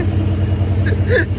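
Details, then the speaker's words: Supercharged Ford Mustang SVT Cobra (Terminator) after a new 185-amp alternator and idler pulley install, restarted after a dropped wrench was removed. It starts instantly into a smooth, even low rumble with no knocking or rattling; normal running. "The car instantly turned on, which I'm really happy about. That's a good sign."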